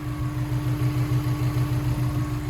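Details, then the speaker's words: Honda S2000 with bored-out engine and ARP head studs, first start after rebuild following six months off: smooth, even, quiet low hum with no ticks or knocks; normal idle. "This thing is running so quietly. It's on right now."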